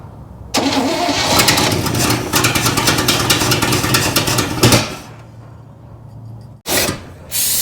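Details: 1961 Chevy Apache truck parked 20 years in the desert, started after reconnecting the dangling main power feed: cranks and catches quickly, then a steady idle for a few seconds; normal start and idle.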